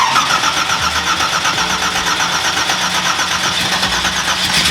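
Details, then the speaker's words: Nissan GTR R35 V8 1,500bhp drag car, first start in about 6-7 years after the fuel pump is primed: a dense, loud, uneven V8 roar that fires but runs lumpy. It is flooded, as if clearing excess fuel. "Well, flooded. First start in what? 6-7 years."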